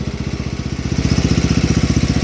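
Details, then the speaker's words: 8hp Kohler K181 single-cylinder in a 1971 John Deere 110 after head gasket replacement: crisp even firing, no knocks or misses, plenty of blow-by and a slight valve tick; runs well, head gasket leak gone. "running. Plenty of blow by, like all Kohlers. I had this fall off. Sounds like it has a little bit of valve tick in it. Way better without a head gasket leak."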